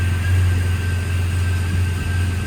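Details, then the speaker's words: 2000 Jeep Cherokee XJ Classic 4x4, brand new inline-six engine, cold start with hood open: settles into smooth even low idle rumble, no misses or knocks; no smoke, no oil burning, no leaks; normal cold idle. "This is a cold start, by the way. No smoke, doesn't burn oil, anything like that."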